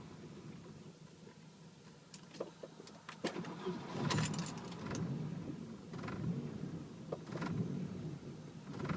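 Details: Volvo 760. A jingle of keys, then the starter churns in uneven bursts for several seconds and the engine never catches: it cranks but won't start.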